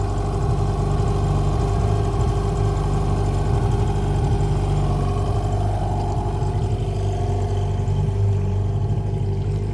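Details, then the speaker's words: Hangkai 18 outboard after a 10-minute idle, running in gear just above quarter throttle: steady, even drone with no knocks, misses or rattles. It sounds healthy. "Don't sound too bad."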